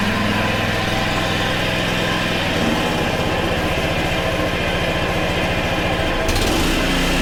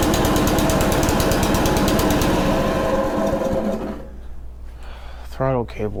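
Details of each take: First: Honda HRC216 lawn mower, older unit: steady buzzy single-cylinder drone with rough, uneven chatter underneath while the blade is engaged; the blade clutch works but is noisy and worn. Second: Honda HRC216 commercial-grade mower that would not start after sitting in storage, now dried out and refuelled, fires on choke with a fast, even single-cylinder putter, then fades as it's shut down; runs normally, throttle cable still to sort.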